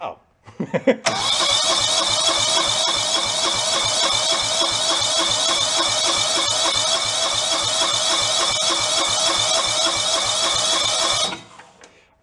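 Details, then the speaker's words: Free John Deere lawn tractor left sitting outdoors, water found in the gas tank: ten seconds of hissy, uneven cranking with ragged sputters about three per second, never catching; owner suspects stuck carburetor or fuel pump diaphragms, not fuel level. "been feeling when the diaphragms in a carburetor in the fuel pump got sunk I don't think it's the level of the fuel"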